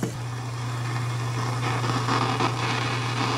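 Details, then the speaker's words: Ultrasonic gooseneck leak detector probe moved along a pressurized refrigerant coil; a low steady hum under a rushing hiss that swells louder near the spot, indicating at least four refrigerant leaks in the coil. "definitely something right there going on they're getting louder so it sounds to me like we've got at least four leaks costly in this coil"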